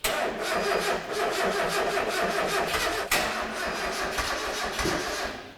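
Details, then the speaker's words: Turbocharged Mazda MX-5 on a dyno, barely run for 3.5 months: even slowish cranking about five pulses a second for several seconds without catching, battery too weak so it needs a jump start; slow cranking from weak battery. "we just got to um jump start to fill because the battery that I have provided is not strong enough at the moment he hasn't been run very much for the last 3 and a half months"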